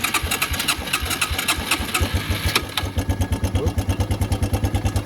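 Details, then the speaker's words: Suzuki Quad Runner LT160 ATV, single cylinder, bought cheap with unknown condition, running at fast idle on starting fluid, ragged then steadier; fuel in tank but suspected none reaching engine, not smoking, starts running out of gas; carburetor clean suspected needed. "I don't know how much of that is carb clean, but it's not smoking. So, oh, yeah, it's starting to run out of gas again."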